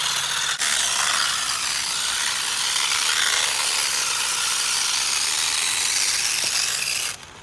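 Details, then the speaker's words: HBX Transit RC crawler in low range while rock crawling: harsh rapid clatter of about four skips a second under load as worn, nearly stripped pinion and spur gear teeth jump. "all right so we're in a low range and I hear the gear skipping which is great"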